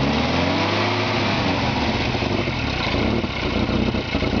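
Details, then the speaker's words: 1949 Morris Minor low-light, long stored in a barn, first start on carb-fed fuel and easy-start spray, not in gear: uneven lumpy stumbling beat, misfiring on three cylinders. "come on baby there we go ni firing on three cylinders for yeah yeah the about St"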